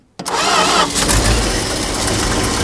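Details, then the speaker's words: 1977 Dodge D-600 abandoned for 23 years, on a fitted battery and primed with carb cleaner: catches quickly, then settles into a steady, even idle with no knocks. It runs, then floods. "All right, well, we know it runs."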